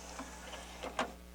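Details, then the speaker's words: Harman Kardon HK 720 CD player after cleaning the dirty tray loading belt; soft motor whir and light clicks ending in a firm seating click, tray now loads smoothly and normally. "see now it loads no problem it's working good now"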